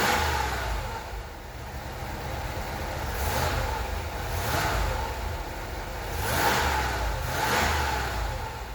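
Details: 1993 Cadillac Fleetwood after in-tank fuel pump replacement and priming the fuel system: quiet idle broken by four clean throttle blips that rise and fall smoothly without hesitation; engine revs freely and sounds healthy.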